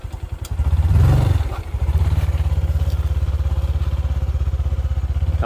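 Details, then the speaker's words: 2022 Honda Future 125 LED scooter, about 1,000 km, after clutch spring and clutch plate replacement for slipping clutch; quick even tick about three a second over low idle putter, said to be characteristic of this model; engine ticking noise. "Rồi nó có cái tiếng tục là cái tiếng đó là đặc trưng của xe này"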